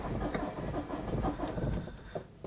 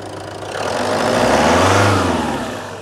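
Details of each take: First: Citroen Berlingo 2.0 HDi diesel, cold start: lumpy, uneven starter churn that skips strokes, then catches and runs rough as if a cylinder dropped; owner suspects a failing injector or compression loss, and it later smoothed out. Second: Citroen Berlingo 2.0 HDi diesel, after MAF swap, owner concerned about uneven cranking and possible compression loss: smooth rev climbing evenly and falling back cleanly, no knocks or misfires; sounds all right.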